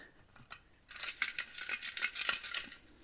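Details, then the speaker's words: Old catalytic converter removed from a Mazda Miata (failed smog, likely ran years with a blown head gasket), shaken by hand: loose tinny clatter of broken pieces inside the shell; broken catalytic converter substrate. "you hear that that sounds bad yup i think now that the cat's out of the car"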